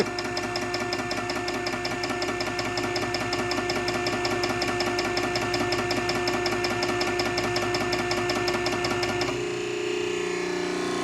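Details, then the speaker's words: Nugier Co. 100-ton hydraulic press, ram extending on long stroke with springs tightening: even motor hum with steady quick pump pulse, then drops to quieter hum; no knocks or squeals, motor sounds good, normal operation. "That has a really long stroke to it. It sounds good. Motor sounds good. No weird noises."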